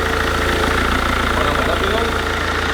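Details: Mercedes Vito/Viano diesel after water pump replacement: steady even idle with smooth low rumble, no whine, rattle or knock; strange noise apparently gone, engine sounds healthy.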